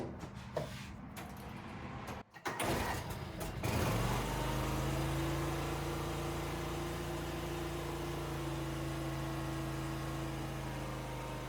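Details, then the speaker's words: Wheel Horse 520Lxi tractor, liquid-cooled Kawasaki FD620D twin, first start after a carburetor replacement for sluggish, fuel-starved bogging: a few clunks, then it cranks, catches and settles into a steady, even idle with no hunting; best it has sounded in a long while. "But this is the best this engine has sounded in a long while."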